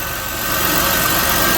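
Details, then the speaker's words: 2008 Chevy Impala 3.9 L V6 after alternator replacement, engine started and revved: smooth even idle rising slightly, no squeal or chirp; old alternator's noise gone, new pulley straight, not wobbling. Normal idle. "good the noise that the old alternator was making is gone and you notice the pulley is straight"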